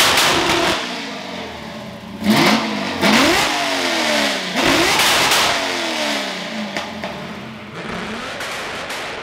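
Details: Ford F100 V8 after tune fix (plugs had run dark) and new spark plugs: loud lumpy blips settling cleanly, no miss or rattle; rowdy but healthy, tune significantly better.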